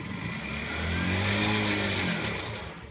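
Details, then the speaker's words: Kawasaki NS160 FI single revving up and down with a hard metallic rattle over the engine note; a grooved, damaged crankshaft is shown as the cause of this noise in these engines. "Sa kanya tong crankshaft oh. May tama. Pag once na may uka, ganyan ang tunog."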